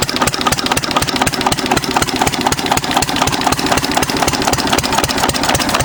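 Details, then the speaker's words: 6 HP Witte diesel-electric single-cylinder engine, about 80 years old, water-cooled, revived after ~30 years with valve work, oil change and fuel cleaning: crisp, evenly spaced beats about four a second, strong with no misses; healthy idle. "Starts pretty easy though for being 80 or so years old. Good sound."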